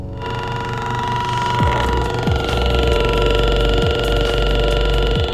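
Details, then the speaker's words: Car stereo: a steady electrical whine and buzz through the speakers that rises with engine speed on acceleration, alternator noise getting into the audio. "I have this like noise that I'm pretty sure most of you most of you guys have where where you connect your music and then when you steping on the gas you could hear your music accelerate through here"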